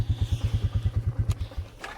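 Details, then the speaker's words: Engine at idle: low thumping beat about nine a second with a dull knock in each, then fades out; cause unclear, owner plans to add fuel treatment to see if it helps. "i don't know if you can hear it's kind of knocking a little bit so uh we'll run some fuel treatment in and see if that helps"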